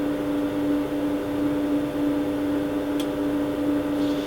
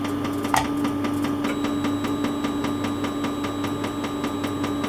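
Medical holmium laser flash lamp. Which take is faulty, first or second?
second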